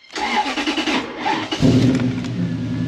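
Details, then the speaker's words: Toyota Surf/4Runner with intermittent no-crank on first key turn: slow, labored cranking for about 1.5 seconds before catching and settling to idle; starter motor getting tired, start-relay fault suspected. "yup the starter motor is getting tired"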